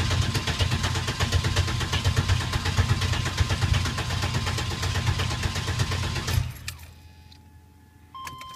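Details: Engine with a FAST XFI ECU and XIM ignition cranks steadily for about six seconds without ever catching or picking up speed. Crank, no start: no injector, cam, crank or points signal reaches the XFI, though the XIM shows a signal.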